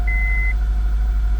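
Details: 2002 Acura RSX base K20 engine firing up right after starter replacement for a no-start: catches and settles into smooth, even idle with one short beep; healthy, normal idle.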